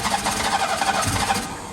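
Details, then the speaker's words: Engine cranking without firing, an uneven churning that never catches; no fuel reaching it, with gravity feed not going to work, carb clean inside and a pump thought needed; crank, no start from fuel starvation. "got no fuel that mate got no fuel is it even any fuel in the C it needs some fuel we need a pump on it gravity Fe is not going to work mate"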